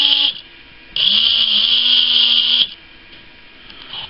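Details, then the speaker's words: Philips cordless shaver after a modification soldering a wire to feed battery DC directly to the motor, bypassing the circuit board. Motor spins up quickly to a steady high buzz with even pitch, now at normal shaver speed. "see how much the improvement of the rpms are that sounds a little more normal now like a regular shaver should be"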